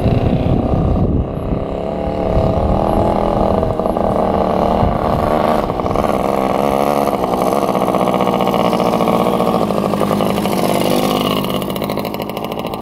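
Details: 1967 Yamaha YL1 two-stroke motorcycle, barn find revived after sitting over 40 years, normal running: buzzy steady running with light throttle blips, no misses or knocks; fired right up and idles perfectly.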